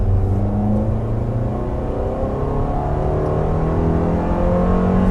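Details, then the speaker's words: 2019 Toyota RAV4 in normal mode. Full-throttle pull started from a high gear up to 100, with a coarse, trashy, bus-like drone climbing steadily in pitch. Loud but healthy acceleration. "A lot of trashiness. That's 100."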